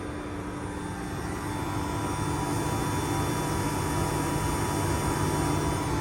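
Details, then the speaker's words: Variable-speed electric AC compressor, engine off, evaporator air at 80°F driving higher load: steady high hum with fixed tones as it spins fast; normal operation. "you hear that the compressor is spinning really fast now because it's continuously getting this hotter and hotter air 80 degrees now"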